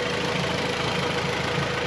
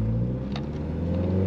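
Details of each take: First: Honda Civic with G23 VTEC swap, warm after TPS recalibration fixed stalling: even idle with steady rushing radiator fan noise, no knocks or hunting; previously dead fan finally kicks in, owner thinks a sensor was faulty. Normal idle with radiator fan running. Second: Honda Civic with G23 VTEC swap, break-in throttle body fitted: steady low idle rumble holds briefly then cuts out abruptly; dies at stops with no check-engine light, owner plans to recheck TPS calibration, cause unconfirmed. Engine stalling at idle.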